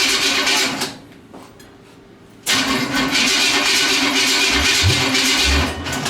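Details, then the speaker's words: Nitrous small-block Chevy V8 in a fresh build, first start: cranks, dies briefly, then catches with a harsh uneven roar and deep popping bursts, shooting fire out the exhaust; backfire on first start, engine needs more timing. "be careful because it is shooting fire out damn oh oh there she is"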